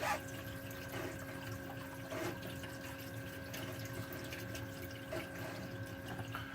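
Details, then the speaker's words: DIY 60 cube reef tank plumbing, siphon drain valve dialed in: soft even trickle of water falling down the overflow, no bubbles or gurgling, dead silent; quiet siphon drain properly set. "there's no bubbles at all and it is dead silent I can't hear a thing in fact all I hear is the water water falling down the Overflow up there"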